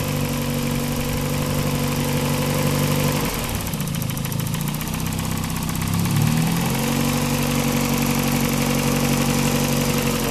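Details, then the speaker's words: Daihatsu engine idling with the drive belt removed: steady even hum with a brief rev blip, no whine or squeal, noise gone, confirming the alternator as the fault; normal idle. "can see we don't hear the same noise, so we know exactly that is the alternator giving the problem."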